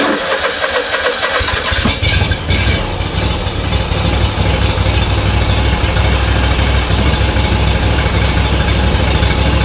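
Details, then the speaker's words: SCAG Cheetah II mower right after high-pressure fuel pump replacement and priming: engine fires within a couple of seconds and settles into a steady low idle without stumbling; idle to be raised later; starts and runs normally. "I'm going to let it run for a little while so I can feed fuel throughout the system, and then we'll take it out and I'll raise the idle. Okay, so it's running."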